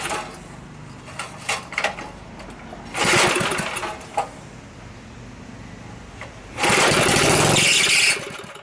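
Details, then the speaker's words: Previously locked-up small Briggs & Stratton engine, oiled inside so smoking, pull-start clatter then catches and buzzes at speed in two short bursts, firing consistently before adding gas; runs normally, recoil screeches, carb/tank need cleaning. "so that's firing up pretty consistently let's throw some gas in there and see if it'll work"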